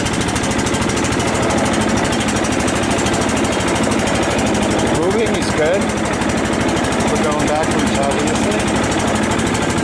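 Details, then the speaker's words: Cub Cadet LT 1018 tractor, 150 hours, old stabilized gas, engine not yet cleaned out: steady even small-engine drone while driving, no knocks or misses; normal running. "wow she sounds pretty good I guess it only has 150 hours on it"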